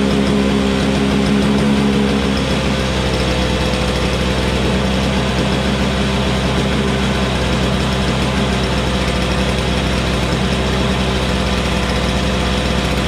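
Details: Toro Snow Commander two-stroke snowblower, running after refuelling with 50:1 TruFuel; steady, even fast idle with no misses or surging; it just needed gas.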